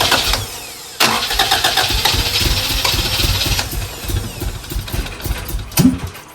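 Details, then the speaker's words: Honda Integra that previously revved high: cranks and coughs unevenly, never settles to a clean idle, strong fuel smell; flooded and running rich, owner suspects injector, later tries a chipped GSR ECU. "turn it on again turn it on again I can smell a lot of fuel so I'm wondering if it's the in the injector"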